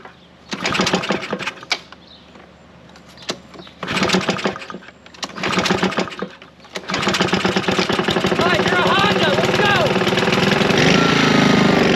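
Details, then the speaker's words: Curbside Honda push mower, single-cylinder engine, after fixing a loose flywheel and replacing the damaged flywheel key: uneven running around 220 beats per minute with dull knocking, less than before; cause not pinned down. "so let that sit a little bit is does knock it doesn't sound like it was as bad as it was obviously because we fixed the flywheel flywheel was loose"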